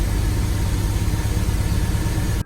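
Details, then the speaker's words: 2004 BMW 525i inline-six at idle: low, lumpy, uneven idle with the car shaking, cylinder two misfire code read; cause suspected, not confirmed. "it's causing a misfire and it car kind of shakes so let's find out"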